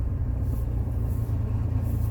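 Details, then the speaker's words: Rover 45 CVT, driven in for a timing belt: it struggles to pull away with a deep, heavy rumble that doesn't rise in pitch and bad knocking from one side; a fluid-starved CVT gearbox is suspected. "it's struggling to pull away and we have a knocking badly from that side"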